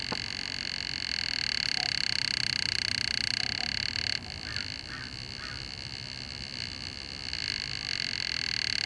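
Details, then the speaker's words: Vintage Sears/Toshiba tube television under vertical deflection repair, 6GH8 tube replaced, speaker disconnected, brightness down: steady high whistle with hum and buzz that shifts as the vertical hold is turned, changing vertical speed. "Speaker is not connected, but I think we'll probably hear the vertical. Brightness is still all the way down. Oh yeah. Hear it there? So our vertical hold adjusts that speed. So I'm going to turn the vertical hold and you'll hear it change."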